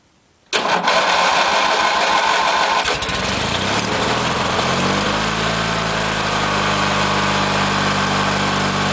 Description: For this startup, it cranked quite a bit longer then usual, probably due to the carburetor being empty of fuel.